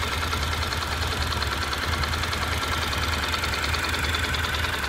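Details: Honda NC700X at steady idle, fully hot: fast, uneven rattle/knock roughly three ticks a second from the right side of the engine, only when heated up; cause not identified.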